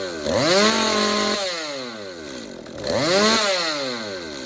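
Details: Stihl MS 192T two-stroke chainsaw that wouldn't idle or rev up, with its spark arrestor screen probably about 80% clogged: two crisp throttle blips, pitch climbing cleanly and settling back without stumbling; normal running.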